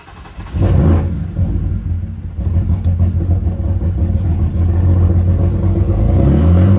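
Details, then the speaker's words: 2006 BMW 325i bought as no-start, crank sensor acting up (later found unplugged), manual, no muffler: engine catches and revs hard with loud raw exhaust roar, uneven and rough on start; crank sensor fault. "So anyway, this would be the crank sensor issue."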